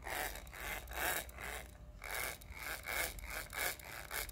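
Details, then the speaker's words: Procunier Type 1E tapping head turned by hand: rough, raspy grinding in uneven bursts traced to the dry gear mesh with the planetary gears; with the parts separated it only sounds like running in a bushing. "sound so that has to be this gear interface because now that these are separate it just sounds like something running in a bushing"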